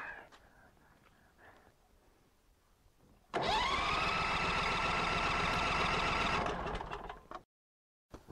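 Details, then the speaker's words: Norwood LumberMax HD38 sawmill engine after assembly, on choke: starter spins evenly for about three seconds without firing because the emergency stop was pushed in; started with smooth idle once released. "ah the emergency stop was flushed in let's give it another go"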